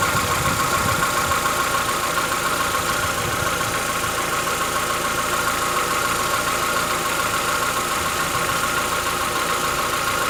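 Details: Chevrolet Onix 1.4 (2014-15), cold start on gasoline; fast light tick a bit over two per second under steady idle, lasting about 10 minutes, present since new and worsening yearly. Owner says it is inside the engine, not injectors, suspects lifter knock; dealers call it characteristic.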